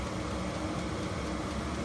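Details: HCALORY HC-A01 diesel heater set to max 36°C (96°F), fuel pump and fan speeding up: steady rushing fan roar with faint soft pulsing beneath, even and unbroken; normal running at full heat.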